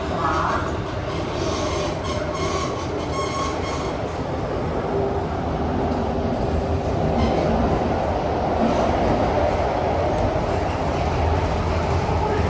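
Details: Kawasaki/CRRC CT251 metro train, set 2034, running between Bright Hill and Mayflower: a steady rumble with a thin, high squeak rising over it.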